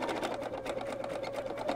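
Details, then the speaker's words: Sewing machine stitching minky plush fabric after cleaning: fast stitch clatter about a dozen beats per second, slightly uneven with a scraping edge, sounds funky; bobbin case seated in wrong position after cleaning, white arrow misaligned. "so i was like that sounds funky and it's because this is in the wrong position"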